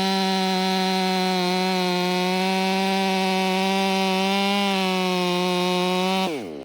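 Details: Warmed-up, Empire Workshop-ported STIHL MS500i with stock air filter, 32-inch bar, sharpened chain and seven-pin sprocket: a strong, steady high-revving howl holds pitch under load through the cut, then drops away at the end. Pulls cleanly.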